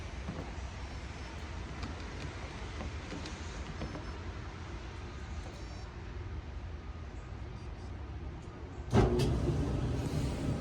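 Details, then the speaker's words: Maytag commercial dryer MED5630HC1 that ran but didn't heat, being serviced with a 3387747 heater element: steady low drum rumble, even tumble, no scraping or squeal, louder thump near end; drum runs normally, still not heating. "Sounds good. Yeah, it's ice cold."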